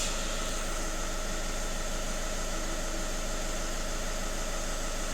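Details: VW Caddy 1.6 TDI diesel, warmed up after the cleaning with no fault codes: steady, even idle with a soft regular beat and no misses, rattles or surging. The engine runs cleanly.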